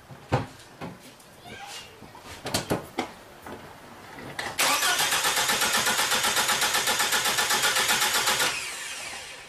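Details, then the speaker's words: 2005 Volvo XC90 T6 with crank-no-start: reference of normal compression while cranking, even evenly spaced pulses about five per second, for comparison against the sound of broken timing belt, open valves or low compression. "you're gonna hear the difference in the when you're cranking I'm gonna crank it this is normal compression"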